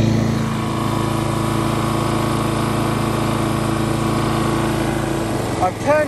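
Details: Lawn mower single-cylinder after rebuild for knock from running low on oil, back near round and spec: steady fast idle, no knocking or ticking audible next to the mower; normal running.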